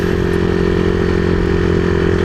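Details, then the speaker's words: Honda CBR150R single-cylinder with open pipe, after carburetor cleaning and adjustment; previously died when throttle revved, owner found fuel cock not on reserve; steady even beat, no stumble or hunting, running continuously, normal running. "Parang parang yun na talaga yun eh kasi ayan oh tuloy-tuloy na yung andar natin oh"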